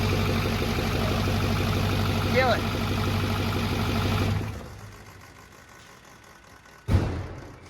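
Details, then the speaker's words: First fire-up of a 6.4 diesel truck: quick, regular slapping tick at fan speed over the idle, stopping at shutdown; unplugged fan clutch connector tab flapping against the fan. "forgot to plug in a fan clutch that's my fault too but we need to pull it around and you can probably reach through the fan I think great because I could hear the tab down there I was like what the heck is flapping around down here and realize it's that"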